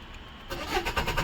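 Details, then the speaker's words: Maruti Suzuki Swift diesel, customer complaint won't start, all dash lights on and fuel present: fast even cranking chuffs for about a second that never catch; crank no start from failed relay. "Crank करते समय देखिए RPM ऊपर जा रहा है और car start नहीं हो रही है।"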